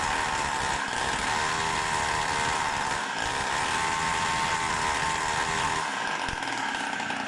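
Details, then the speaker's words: Tuned Samurai 40cc two-stroke with a new heat-sinked CDI box; high buzzy note starts better and runs more stable but stumbles, sputters and won't rev. Owner suspects ignition advance now set too late. "it seems to start better and run more stable but it doesn't rev up and sputters ignition advance is probably too late I had adjusted it."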